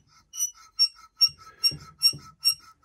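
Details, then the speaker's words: Car long left sitting, belts off with power steering and alternator removed: shrill squeak repeating about 2.5 times a second, no engine running; worn water pump bearing, pump to be replaced with timing belt. "so it's a good thing that while I'm in there I might as well change the water pump because uh that's obviously squeaking and not long for this world"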